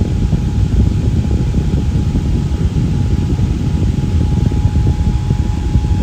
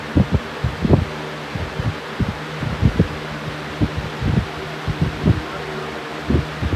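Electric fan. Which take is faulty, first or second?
second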